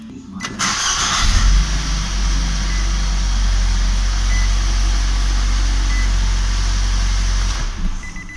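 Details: First-generation Nissan Juke with CVT, after repairing the start button PCB (worn-through hole plating bridged with soldered copper wire) that would not turn the engine off: starts quickly, smooth even idle about six seconds, shuts off cleanly.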